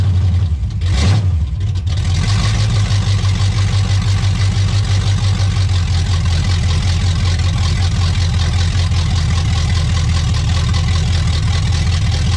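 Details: 1985 Pontiac Trans Am 5.7 350 small-block Chevy, not run in 7 years, warming, no choke: deep steady V8 rumble that catches cleanly and holds an even smooth beat with no knocks or misses.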